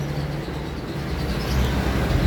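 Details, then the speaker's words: Yamaha NMAX V2/2.1 scooter that wouldn't start, showing a check engine light. A burnt socket was found and reconnected. The engine note now builds and firms up after about 1.5 seconds and settles into a steady run, so the fix worked. "Ayun umandar na andar na ayos yon"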